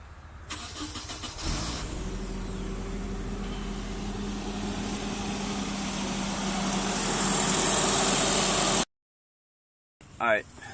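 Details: Nissan 240SX first start after a Walbro 255 L/h high-pressure fuel pump install and refitting the pump relay fuse: brief crank, then it catches quickly and settles into a steady, even idle with no misses. A normal start.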